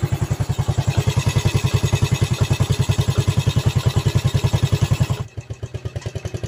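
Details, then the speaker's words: After stripping the engine and replacing one valve guide on a Vega ZR single, it idles with an even putt-putt and no valve ticking, smooth where it sounded rough before; slight irregular rattle attributed to the clutch housing. "Kalau tadi kan bunyinya agak sedikit kasar ya sebelum kita bongkar. Ini suaranya sudah halus."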